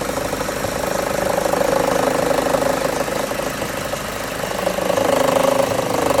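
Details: 2013 Chevrolet Cruze idling with the AC on: a light, fairly regular ticking rattle of about three per second that appears only when the AC is switched on. The belt tensioner is suspected and is being replaced.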